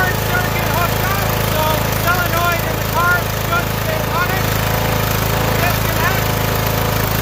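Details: Small single-cylinder engine started on choke: holds a steady, even low drone with no misses or surging, running cleanly on its own gas tank.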